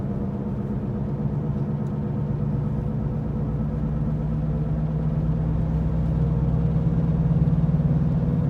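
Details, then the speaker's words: 2014 Ford Escape heard from inside the cabin at about 80 km/h and above: steady low drone rising with road speed; humming at speed, mechanic diagnosed a worn front driver-side wheel bearing. "now if your car have the same problem with this the same noise it might be the wheel bearing"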